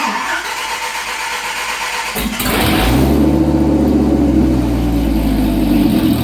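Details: Dodge Viper V10 with exhaust cut off on both sides, short open pipes: cranks, catches and settles into a loud, raw, deep burble with a hard pulse.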